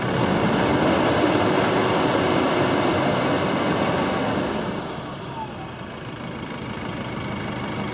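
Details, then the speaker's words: Normal high-rev running on a used Nissan YD25DDTi 2.5L turbodiesel from a 2006 Pathfinder R51 with 277,812 km, no check engine light and no engine faults; smooth, even roar held at high revs, then easing down with no misses or knocks. "двигатель работает ровно пробег автомобиля 270 7812 километров чекать не горит ошибок по двигателю нет"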